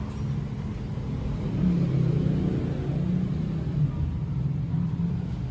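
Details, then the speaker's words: Yamaha F1ZR two-stroke bored up to 137cc with an RX-King piston, test after fitting: steady low even drone with no tapping or knocking from head, block, rod or pin. Normal running. "Yang penting kan kita dengar dulu nih bunyinya, ada nggak kira-kira bunyi di head, bunyi di block, bunyi di bagian stangnya, di pennya kira-kira. Kalau kira-kira bunyinya nggak ada, bunyinya halus, ya berarti pemasangan step 1 pemasangan itu udah alhamdulillah sih insya Allah lancar."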